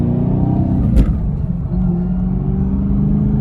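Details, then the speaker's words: Camaro SS transmission while driving: faint steady whine over engine drone, owner says very intrusive though hard to capture on camera; whine in first through third gears; shop advised new transmission. "But I'm telling you guys, it is very intrusive to the driving experience whenever I get inside this car."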